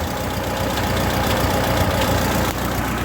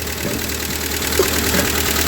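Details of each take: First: Ford 2N tractor engine, hot after about 15 minutes driving; uneven low idle with irregular exhaust pops and spits about three or four a second, running rough; timing and carburetor need setting; clutch out of adjustment, hot oil pressure good. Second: Ford 2N tractor engine idling briefly with belt off and generator removed, water pump not turning; steady, even idle with a firm mid-pitched beat, no misses or surging, healthy; strong oil pressure reported.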